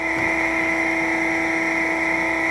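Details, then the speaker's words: 1997 Harig EZ-Surf 6x18 CNC surface grinder: the Z axis (in and out) traverses with a steady, even hum and high-pitched whir, with no knocks or grinding. Normal, quiet axis motion. "your Z axis, which is in and out, also nice and quiet."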